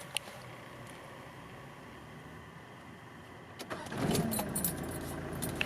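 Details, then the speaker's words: 1994 Mitsubishi Pajero Exceed-I 2.8L 4M40 turbo diesel, automatic, 4WD: keys rattle, brief crank, catches right away and settles into an even, steady idle; starts cleanly. "It starts right up."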